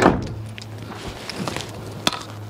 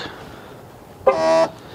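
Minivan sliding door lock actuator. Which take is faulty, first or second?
second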